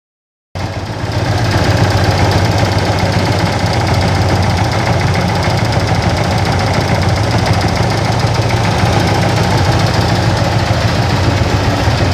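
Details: Yamaha FZ16 Fazer motorcycle engine at steady idle with a loose, uneven tapping about three times a second over the engine; unusual engine noise of unclear source.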